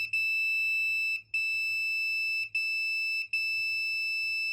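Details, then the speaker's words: Freezer with a clicking starter relay and compressor not running: multimeter continuity test on the relay thermistor gives a clean steady high beep with brief dropouts as probes shift; continuity good, thermistor intact, no loose connections. "so that's why we wanted to test for continuity to make sure that this little thermistor was still intact there wasn't any loose connections"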